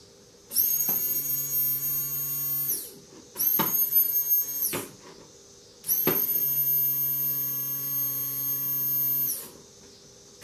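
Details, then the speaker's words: 2008 Kawasaki Vulcan 1600 replacement Quantum fuel pump bench-tested on a 12 V DC source outside the bike: runs in short bursts with a loud, steady high-pitched whine over a low hum. "they said if it's quiet sometimes you can hear it really whine right when you turn the key on before you and start to bike"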